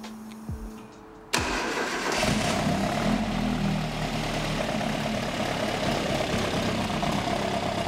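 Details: Ford XR2 crossflow engine freshly fitted with Omex individual throttle bodies cranks briefly, catches at once and settles into a strong, steady idle with no misses or knocks; a healthy first start.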